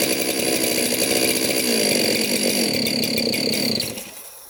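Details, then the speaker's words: 372 chainsaw, carb jets fully open, sprayed at the base gasket: high buzzing engine holds briefly, then sags and dies within a second; air leak at the base gasket. "i sprayed all over the clutch now that happened and then i sprayed at the base gasket and it died"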